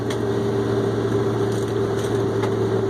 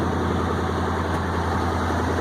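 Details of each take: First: 1965 International Loadstar 1700 at first start with choke, idling smooth and quiet with a low hum and faint scattered puffs and ticks from an exhaust leak at the manifold flange donut gasket on one side. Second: 1965 International Loadstar 1700 at first start: large petrol engine idles steadily with a deep, even rumble and no missed beats. A slight exhaust leak is heard on one side, and the owner suspects a vacuum leak causes its high idle.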